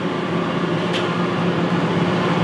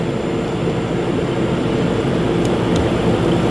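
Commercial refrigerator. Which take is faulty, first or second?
first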